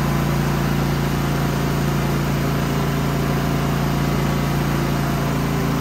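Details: Genmax GM9000iED inverter generator after ignition module replacement and new foam, housing closed: steady, even hum with constant low drone, no surging or misses; normal running, though it later backfires and pops the plastic case open.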